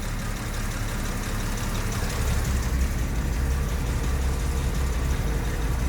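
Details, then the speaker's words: 1973 Jaguar XJ6 Series 1 (Daimler Sovereign 4.2), first start since Christmas, off choke: low, steady idle around 600-700 rpm with an even beat and no knocks or misses. Idle speed about right, normal. "about 700 Rev she's about right"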